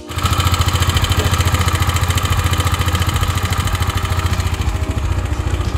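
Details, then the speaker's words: 2023 KTM Duke 390 BS6 at cold start idle: thumps about three times a second with a loose metallic rattle on top, an abnormal noise blamed on the cam chain tensioner; sometimes also appears after warm-up. "हां भाई तो तुम लोगों ने देखा की वो cold start में कैसी आवाज ए रही थी तो वो आवाज सही नहीं है"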